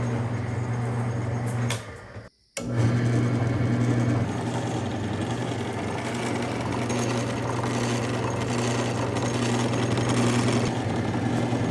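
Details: 1952 Craftsman lathe, 1/3 hp motor on first start-up, drawing about six amps: steady low hum with even constant pitch after a brief dropout, no knocking or grinding; normal electric motor running.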